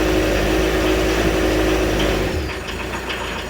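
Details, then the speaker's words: 1986 VW T25 with 1.6 JX turbo diesel, sitting since 2017, first start after replacing the earth cable and blown 20A starter fuse, fresh diesel, injector cracked to bleed air, easy-start used. Rough, clattery but steady idle with no odd knocks; healthy old diesel. "Woohoo! It ain't that quiet, is it? Brilliant. I'll keep that going for a bit. Sounds like a 40-year-old diesel."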